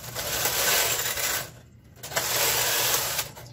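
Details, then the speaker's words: Knitting machine knitting Fair Isle, two colors, MC and KC, doors closed, slowly, after fixing earlier problems (take-up spring suspected, uncertain): two smooth, quick swishing carriage passes of about 1.5 s with a clean stop between; not laboring. "I think that's a huge improvement over the last couple tries. You can hear how the machine is not laboring."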